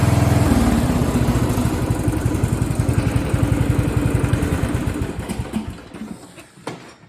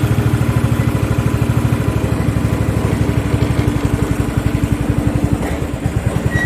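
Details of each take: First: Craftsman riding lawn tractor (part 917.273760) after carb and fuel fix, run without the filter: single cylinder thumping evenly about three to four beats a second, no stumbling, then winding down; fuel starvation cured, running normally. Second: Craftsman riding lawn tractor 917.273760, free, loose pulley and exhaust, after carburetor work: uneven single-cylinder putter with dropped beats and stumbling firing like a hit-and-miss engine; fuel starvation from restricted filter.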